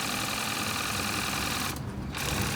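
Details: Lidl Nevadent water jet flosser cycling through soft, jet and normal modes, jet giving a firmer spray: quick, firm, even buzzing pump pulses with a brief spray dropout partway through; pump working normally.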